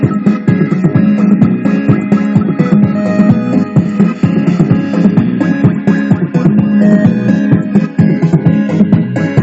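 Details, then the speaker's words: Pioneer GM-X602 car amplifier after repair (previously dead, wrong fuse fitted and something broken) tested on first output, second output, then bridged: music full and clean at strong level, no crackle, hum or dropout; normal output. "Allez, première sortie. La seconde sortie. Allez, et en bridgé."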